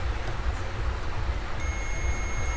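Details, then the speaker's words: Ahuja SSC 250 W amplifier drive board: diode removed and checked with a multimeter after a blown transistor; low hum then a steady continuity beep holds, showing the diode is shorted. "तो यहाँ पे ये जो है short बता रहा है,"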